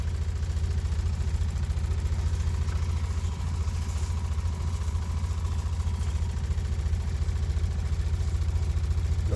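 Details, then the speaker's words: 2017 20ft Airstream Flying Cloud water pump after IRVWPC2 pressure controller install holding about 40 PSI instead of 52-55: low even hum with soft steady pulse, no rattle; pump running quietly, much better than before. "anyway, way better than before and the pump isn't making a ton of noise. So, I think we're pretty good."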